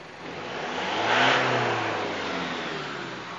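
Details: Isuzu D-Max diesel after repair for black smoke, sluggish acceleration and morning injector knock; engine snaps up cleanly to a peak and falls back smoothly with no misfire or rattle, black smoke gone; healthy, free-revving.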